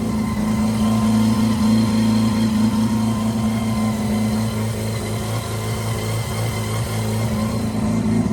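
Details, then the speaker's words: Mazda 323 with 13B bridgeport rotary, after IDA carb reseal, distributor timing, basic tune and refitting old igniters, idling after a 20-minute drive: smooth even hum with no misses or stumbles; sounds better than when it arrived. "So, in the car for a further 10 minutes and nothing wrong with it. So, it does sound better than when it arrived."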